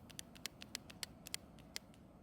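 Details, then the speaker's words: Echo trimmer that won't start: sharp, hard clicks from tapping the carburetor metering diaphragm, hardened with age so it cannot flex; fuel line also broken. "as you just heard that's the sound of me tapping on the diaphragm proving just how much it's hardened over time"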